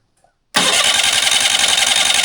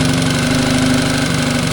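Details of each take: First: Mercury 9.9 outboard run in a water tub after sitting two years: catches, runs rough and loud about three seconds, stalls, then fires again after a pause; hard starting after storage. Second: Mercury 9.9 four-stroke outboard that sat two years, run with Seafoam in the fuel to clean the carburetor, after turning in the idle screw: a steady, even idle with no hunting or misses.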